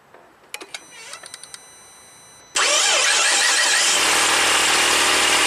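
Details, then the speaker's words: 2006 Saab 9-3 V6 with a no-crank click, starter positive wire found on a circuit breaker: a few light clicks, then the engine catches at once and settles into a smooth, even idle. "it start up and ran"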